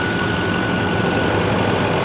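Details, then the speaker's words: 2006 Chevy Silverado 2500HD LBZ Duramax diesel, AC switched on after compressor clutch replacement: steady even diesel idle with faint constant tone, no squeal or chatter; clutch engages nicely. "Go ahead and turn the AC on. AC engages real nice."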